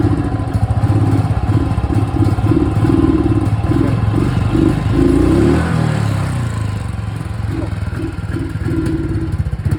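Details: Royal Enfield Thunderbird single-cylinder, low even thump-thump at roughly three to four beats per second, no clatter on top; sounds healthy.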